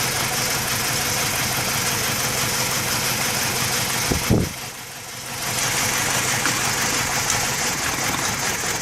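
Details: 2007 BMW E90 idling with uneven, stumbling, loosely pulsing beat; scan shows random misfire and cylinder 1 misfire plus a slow bank 1 sensor 2 O2 sensor; the cause was a dead aftermarket ignition coil.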